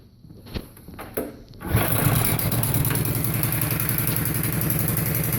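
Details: Craftsman MTD 179 cc snowblower after transmission replacement. A few pulls, then engine catches quickly and settles into steady, even idle with no misses; normal start and idle.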